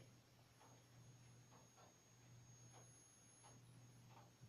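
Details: ATX computer power supply with computer off, fed about 130 V AC through an isolation transformer: faint, thin, steady high whistle over low mains hum; the +5VSB standby circuit squeals from a failing 1000 µF filter capacitor, ripple seen on oscilloscope.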